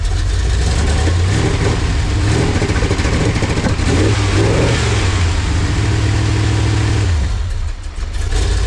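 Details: LT1 V8-swapped Jeep YJ: strong, deep V8 starts, settles to an even idle and revs cleanly with steady firing and no knocks, a healthy engine.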